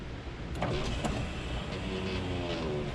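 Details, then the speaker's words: Mazda Miata during a 24-hour overhaul, power window with a just-replaced regulator. Slow, strained motor whir with stops and uneven drag as the glass binds partway through its travel, hanging up again. Power window sticking. "if we just replaced the window regulator on this saw it and for some reason it's getting hung up again but that's no big deal"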